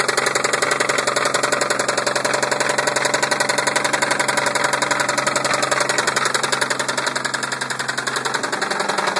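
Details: 1990 Toyota Supra Turbo 5-speed running with sharp, even, constant knocking at about 220 per minute; engine knocking, cause unknown.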